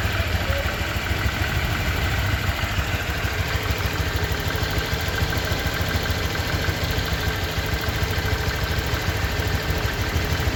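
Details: 2023 Honda Vario 125 new scooter at just over 1,000 km, idling: smooth, even steady low hum, no knocks, ticks or rattles; owner reckons it runs smoother than at 500 km, crediting correct break-in. Normal idle.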